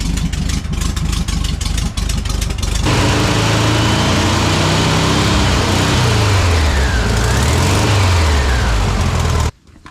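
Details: Refreshed and reinstalled engine in a 1968 VW Bay Window bus barn find, first start: rough clattery catch, then the air-cooled flat-four settles into a steady, even idle with clean revs; runs healthy.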